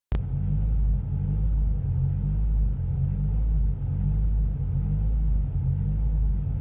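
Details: Renault Clio 172: deep engine drone that sags and recovers at uneven intervals of a second or more, with the rev needle jumping even at steady pedal. RPM hunting and misfire between 1000 and 2000 rpm.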